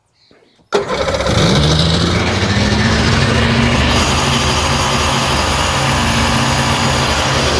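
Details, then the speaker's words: 2001 Sea-Doo GTX RFI 787 fuel-injected, hard-starting, restarted with throttle position sensor and fuel rail reconnected: catches at once into a fast, steady, high-pitched idle that won't drop; idle set too high. "Way high. [Music] Now it's idling too high."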